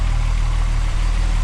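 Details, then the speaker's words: MK4 12v VR6 wagon idling after a Techtonics Tuning 268 cam install, still warming up, not yet driven: low even burble with smooth regular firing, no tapping or miss, super smooth idle. "it's Idol in super smooth so again massive thank you to kic tuning hooking up with the cams"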